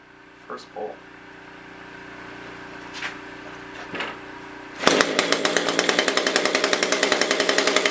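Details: SRM-210 string trimmer after carburetor kit replacement, new spark plug and oil added down the cylinder, primed: a few pulls, then the engine catches and settles into a crisp, even high-pitched buzz; starts and runs normally.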